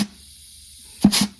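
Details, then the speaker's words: Dodge 68RFE transmission clutch air test at 30 PSI through the port: quiet room, then a short hiss of air with a soft thump as the underdrive clutch applies cleanly; normal clutch engagement. "Can hear it engaging. This is reverse. It's engaging."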